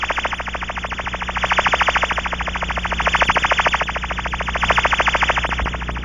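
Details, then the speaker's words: Pressurized aircraft cabin with an ultrasonic warble tone generator inside. The Ultraprobe scanning the outside of the hull picks up a steady fast warble at one spot, marking a cabin seal leak. "recognizing the sounds of leaks comes easily with practice and is also made easier by watching the ultra probes meter as it responds to varying signal strengths"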